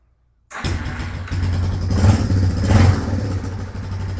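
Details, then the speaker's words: 1996 Yamaha Wolverine 350 4x4 ATV, single cylinder, cold start early morning on choke, factory jetting, air-fuel screw two turns out: fires right up to quick steady thumping idle, no knocking, no smoke; normal. "I'm going to pull the choke. Hit the key. I don't think it's going to take much choke."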